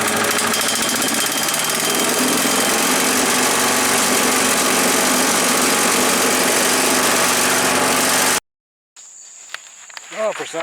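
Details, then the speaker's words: Earthquake chipper/shredder after sharpening the blades: steady engine drone under a dense rattling chew, holding speed without bogging; cutting cleanly on light branches, less well on rock-hard ones. "you can see it grinding stuff up pretty good sharpening those blades seem to help a little bit"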